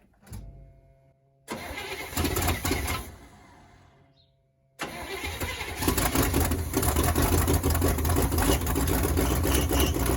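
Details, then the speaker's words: 1979 Chevy C30 V8 first start attempt after eight years sitting: two short cranking bursts die off, third catches into ragged idle; carburetor floats were stuck, freed before retrying. "i'm trying to start it yeah to see how it starts and run our floats are stuck now i got my float on sticker out though okay try again"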